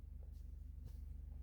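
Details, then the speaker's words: Mercedes-Benz C-Class W204, steering lock unlocks and ignition on: even starter cranking with steady low pulses, never catching; crank no start with no injector signal and fault codes in many modules. "we could tow ignition on it cranks but that's it"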